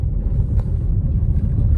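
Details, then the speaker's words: Ford Ecosport after front suspension repair, previously very noisy: smooth low road rumble while driving, no clunks, knocks or rattles; suspension normal, no noise. "di mana bangsa perasaannya udah normal lagi"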